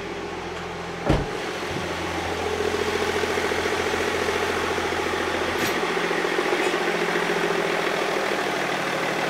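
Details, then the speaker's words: BMW 525d E39 M57 diesel fitted with 530d parts, first start after refitting bi-turbo valve cover and injectors: short crank catches within a second, settling to steady even diesel idle without misses; normal start and idle. "[Musique] bon déjà ça tourne"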